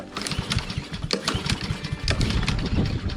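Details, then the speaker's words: Honda lawn mower found discarded, old gas drained and refilled: repeated pull-cord cranks give quick uneven chuffs that never catch; new fuel alone didn't help, carburetor suspected gummed with old-gas varnish. "Doesn't seem to be working with just new fuel."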